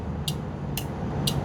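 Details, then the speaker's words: Meego relay tester with built-in battery, set to 5-pin, testing a 5-pin car relay: three crisp, evenly spaced clicks about half a second apart over a low hum; indicator lights yellow, relay is good. "Okey, boleh dengar dia ada bunyi klik. Itu bermaksud relay ni dalam keadaan baik."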